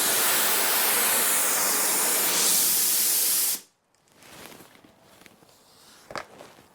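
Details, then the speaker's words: DeWalt D55146 Type 9 air compressor: tank drained via drain valve with screwdriver, loud steady rushing hiss about three and a half seconds then abrupt cut-off; normal tank blowdown. "this is the super fun part cover your ears in fact this noise is super annoying to me"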